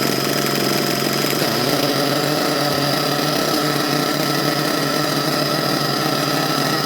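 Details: HPI Savage XL twin nitro monster truck, both engines brand new and being broken in, low-speed needles not yet properly adjusted. Two engines buzz together at one steady high pitch with no beating or wavering; running in sync.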